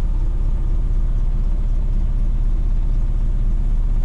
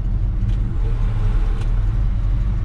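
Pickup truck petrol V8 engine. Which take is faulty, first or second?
first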